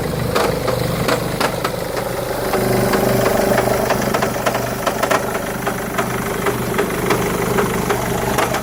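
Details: 2011 Mercedes E200 W212 petrol engine idles with an erratic metallic rattle from under the bonnet, sharp clinks about three times a second. It is loudest in Park or Neutral, mostly subsides in gear, and appears to smooth out around 1500 rpm.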